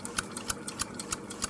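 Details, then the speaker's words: Small shop-heating steam engine, not fully hot yet but speeding up, after anti-seize was applied to its friction zones and sticky valving (the valve O-ring is suspected of hardening). Crisp, even ticks at about three per second with a light whirr; it runs freely and smoothly. "You can hear it's still, things aren't quite hot enough yet, I guess. Although just since I started this video, I've noticed that this thing's sped up quite a bit,"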